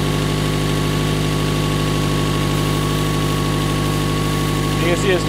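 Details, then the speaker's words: 1996 Toyota Camry, just restarted after thermostat work while chasing an overheating issue that mechanics couldn't find: steady idle with a quick, sharp ticking puff over the engine note, an exhaust leak near the manifold. "as you can hear we got the uh exhaust leak"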